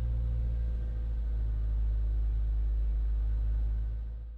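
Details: Car after replacing a blown main fuse for the computer that had caused crank-no-start: a deep, even rumble with a smooth steady pulse and no knocks or misses; normal running.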